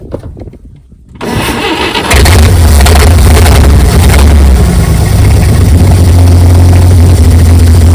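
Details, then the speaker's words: 1959 GMC 100 truck after 30+ years in a field, after cleaning and setting the idle mixture screw to one and a half turns out; starter cranks, engine catches and settles into a steady, even idle with no misses. "just idling like it fired like it's hasn't been fired up or like it was fired up yesterday."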